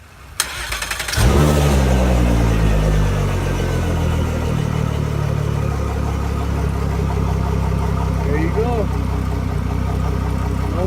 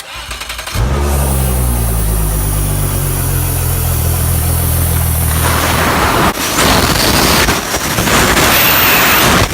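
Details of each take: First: Mercury Verado 250 outboard after replacing the leaking isolator boot that caused a vacuum loss, hissing, high idle and shift actuator fault: cranks, catches and settles to a smooth normal low idle, no hissing. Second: Mercury Verado 250 outboard at start-up: settles to high idle with a thin high hiss from air entering where the isolator boot lost its seal, a vacuum leak also causing shift actuator fault; fixed by replacing the boot.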